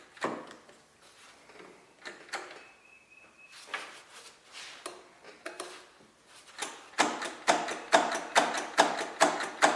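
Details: Kubota riding lawnmower that died after a horrible noise while mowing and sat for years: bursts of quick clicks about two a second with no proper cranking, starter engaging weakly; owner suspects poor connection.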